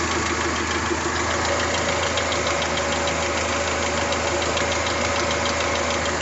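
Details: Toyota 3S-GTE engine at idle: steady idle with a light, uneven tick and rattle on top, no clear rhythm; minor ticking rattle, cause unknown.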